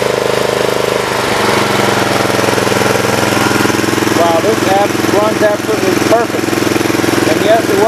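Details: 1983 Snapper rear-engine rider mower re-powered with a new Briggs and Stratton engine on break-in oil, idling with the charging output at about 16-17 volts: steady, even single-cylinder beat, no misses, knocks or rattles; healthy.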